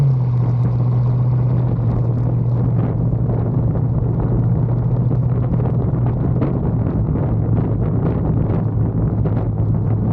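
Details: 1974 Bitter CD, Chevrolet 327 V8, warmed up, test drive under load after HT leads, cracked distributor cap, points and condenser replaced: deep smooth unbroken rumble with wind noise, no misses; misfire fixed, normal running under load.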